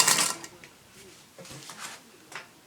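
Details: Singer Featherweight sewing machine test stitching after cleaning and oiling cured earlier squeaks: sharp metallic clunks about twice a second, one per stitch, loud from the bobbin area; cause unknown.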